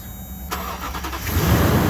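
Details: 2008 Toyota Tundra 5.7L V8 with an aftermarket starter, towed in as a no-crank: powering the starter signal pin directly gives a quick crank, then the engine catches and runs strong and even.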